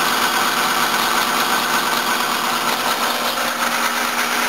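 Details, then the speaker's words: 1984 Toyota Cressida, tired engine warming up at idle after a cold start, blocked fuel filter suspected for slow-running cylinders: steady high squeal and chirp from the worn drive belts; water quietens it briefly and the belts need replacing. "All sorts of noises. That's making some noise. That belt's noisy."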